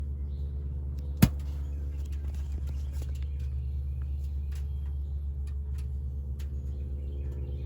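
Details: Ford Transit van idling with a steady low rumble broken by one sharp, loud pop early on; cause unknown.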